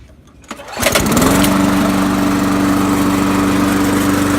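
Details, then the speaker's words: Trash-picked Poulan Pro mower, once hydrolocked from overfilled oil, after an oil change and blade sharpening: starts on the first pull and settles to a steady, even idle; normal start. "I know it's just trash picked it now starts in the first poll"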